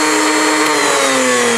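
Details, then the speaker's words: Blender's series (universal) motor on high at full voltage, top speed: a loud, high, steady whine with brush buzz, evenly sustained; normal running at high speed. "So that's how series motors are used in appliances for variable speed."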